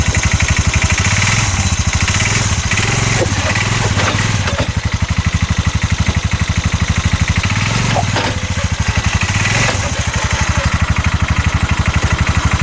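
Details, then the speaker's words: 2022 Massimo T-Boss 750 EFI UTV, heard from the back driving forward: loud rough hammering pulses about four per second while pulling; CV axles and U-joint tight, cause unknown. "sounds really really rough release the parking brake put this thing into high see the high button pop up right there now listen to yeah I don't want to drive it too much like this"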